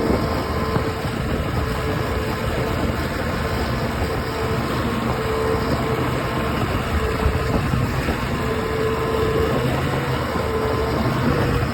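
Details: OX66 outboard running steadily with rough, gritty grinding mixed into the engine note; new spark plugs stopped it only briefly, compression excellent, prop not slipping, source not pinned down.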